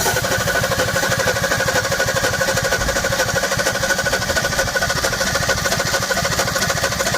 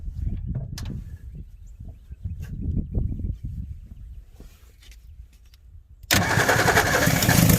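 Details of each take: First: 1961 Ford Falcon Futura parked 20 years, first crank with fuel added: uneven, lumpy running with a stumbling beat and firing gaps, only about two or three cylinders firing; misfire on several cylinders, spark plugs yet to be checked. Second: 1961 Ford Falcon Futura parked 20 years, renewed attempt after day two with fuel poured in and spark checked at the coil; scattered clatter, then engine catches sharply and runs steady and even about seven seconds; normal start and run.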